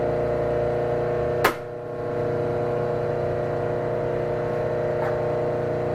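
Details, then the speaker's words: Hobart 5801 commercial meat and bone band saw, three-phase, run from a rotary phase converter: steady electrical hum with strong low drone and a few sharp clicks, normal converter operation. "so we have it plugged into our three phase converter you're going to hear that humming in a minute"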